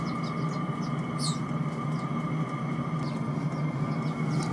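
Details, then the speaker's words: Chinese 5 kW diesel heater on a spare burner module, bare pump without insulation, run at 2 Hz pump setting with the mic close to the case: steady low fan and combustion roar, only a faint high pump tick; normal running, pump louder at low Hz. "I find that the pump is more noiser when the um the Herz is down lower than when it's up higher so I have to go right up to the case my ear to sort of hear the pump"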